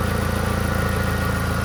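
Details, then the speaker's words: VW Gol G4 with hydraulic power steering at idle, wheel untouched: low droning groan that is present whenever the engine runs, stops while the steering wheel is turned and returns on release; points to the power steering pump. "Vocês vão perceber que para e depois continua. Perceba aí, pessoal, quando eu mexo o barulho para, ó."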